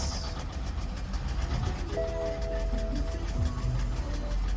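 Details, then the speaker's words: Copart auction car, apparently the 2010 BMW 750Li, just started: the V8 runs rough and lumpy with irregular knocking underneath. The owner wonders about oil, but there is no low-oil-pressure warning and a drivetrain malfunction message shows; cause unknown. "that is very bad like it it really is guys very bad like this it sounds like it sounds horrible we have okay let's see why it's running like this yeah it's running real bad guys"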